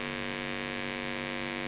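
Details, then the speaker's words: Blackstar HT5R 5 W valve amp (12AX7 preamp, 12BH7 power valve), just out of standby with no signal: a loud, steady 50 Hz buzz with even harmonics and distorted output. "pretty horrible buzz coming out of that. Don't like the sound of that at all"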